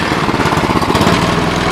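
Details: Cub Cadet 1030E snowblower, 10 hp engine, auger engaged, carb needs cleaning: steady, even engine note holding speed under auger load, no misses, knocks or hunting; normal running with auger working.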